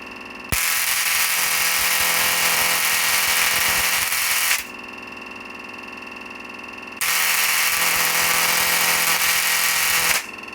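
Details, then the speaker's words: Homemade rotary spark gap Tesla coil with new MMC and dual ZVS flyback power supply humming, spark gap run slowly: two even four-second bursts of harsh crackling buzz, steady and unbroken; coil running normally. "My power supply is already turned on, that's what you can hear humming. I'll just turn the rotary spark gap on. That's it, just going slowly, because I get more breakout points with it running slowly."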